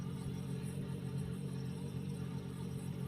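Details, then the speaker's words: Two-door Sharp fridge unused for a year, heater tested good: compressor running with a smooth steady low hum, constant pitch, no clicks or rattles, frost forming on the circulation line; normal compressor running, though freon appears overcharged. "itu kompresor bekerja kalau kita perhatikan di sini untuk kompresor kita lihat untuk sirkulasi sirkulasinya sudah ada embun embun es"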